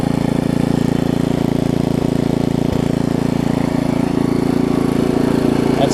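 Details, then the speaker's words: Craftsman 17-inch rear-tine tiller, 5hp horizontal Briggs, probably 90s, stored years with empty tank: after cleaning, new carb diaphragm and adjusting the carb screw, fast regular single-cylinder putter with no surging; runs smooth, small fuel leak remains. "I just adjusted the screw out there a little bit listen to that thing run now things are amazing"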